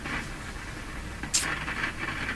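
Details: Philco 48-1826 console tube radio during band 3 alignment: steady hiss with scattered crackles and one sharp burst, like arcing; then the radio is switched off. Cause not yet found; the IF amplifier tube is pulled to investigate.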